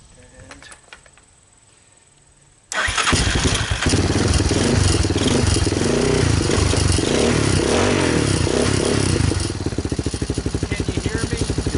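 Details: 2002 Yamaha Warrior 350 ATV with a new DG muffler, battery, fuel line and filter: starts first try, revs a little, then settles to an even deep, throaty single-cylinder idle; normal start and idle.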